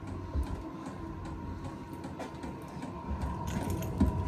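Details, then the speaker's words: VEVOR diesel heater in a mobile tool trailer, running: low combustion roar like an RV furnace, with soft dosing-pump ticks about three a second; firing normally. "the noise, it sounds like a furnace running. It sounds like an RV furnace, the firing noise that it makes. Only thing's different is the pump noise."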